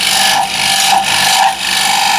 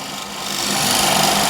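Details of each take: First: Woodturning scraper on a lathe before sharpening: harsh rasping scrape with a steady high squeal and vibration, no clean cutting hiss; dull scraper must be forced hard to cut, tearing grain. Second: Negative-rake scraper on a wood lathe, handle held slightly down: a smooth, light hiss as the edge takes fine shavings, building steadily with no chatter or catching; sharp scraper cutting cleanly.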